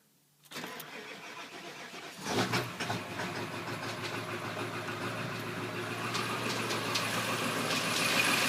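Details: 1997 Ford F250 Powerstroke diesel, cold start at about 40°F: cranks about two seconds, fires, then steady tapping at about four per second over rough idle; only when cold, goes away warm, idle only, cause unknown.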